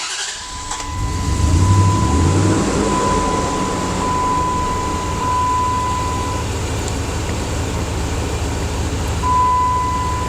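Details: 2004–2005 Dodge Dakota at idle: low, lumpy, uneven pulse with a faint whistle; idling rough, with tailpipe gas readings of 3–4% CO and zero oxygen showing it running rich. Root cause not yet found.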